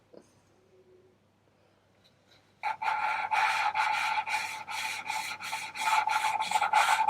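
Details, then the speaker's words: VW T4 2.5 TDI ACV cylinder head rebuild, valve lapped by hand with fine grinding paste after coarse; dry gritty rasping strokes about three a second as the valve beds into its seat. "You can see it has you can see where it's taken away that shine, so it will seat properly. So now I want to put some really fine paste on. And again, we're listening to that sound."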